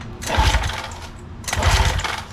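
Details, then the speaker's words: Old outboard boat motor after new marine spark plugs and ignition coils: two short bursts of pull-cranking with no firing; spark ruled out, carburetor suspected clogged, crank no-start. "a few moments later nothing all right at this point I'm very confident spark is not our issue now time for the biggest culprit the carburetor"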